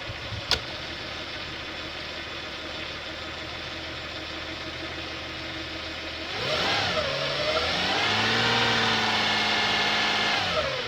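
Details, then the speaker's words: Toyota 1MZ-FE petrol V6 after engine repair, idling evenly then revving cleanly with no ticking or puffing after a manifold exhaust leak was fixed; no knocks, oil to be warmed and changed. "No more exhaust leak, yay."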